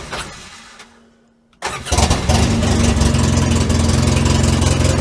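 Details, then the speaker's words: Polaris Ranger 6x6 UTV bought at auction, jump-started after it wouldn't start: after a short crank it catches and settles into a loud, uneven, raspy chug and sounds terrible; a possible exhaust blow and a fuelling problem are suspected. "started sounds terrible I think we're good to go this time"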